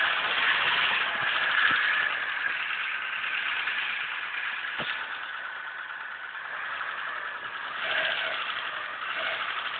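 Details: 1996 Mitsubishi 4G63 2.0 113 hp engine, European-market, 200,000 km: light repeated tapping over an otherwise steady idle, picking up briefly with revs; engine knock, source not found.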